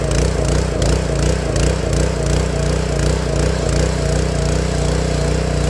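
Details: Honda GX160 log splitter engine after replacing the failing spark plug that caused popping when warm: steady, even low chug with no popping or coughing, running smooth and healthy.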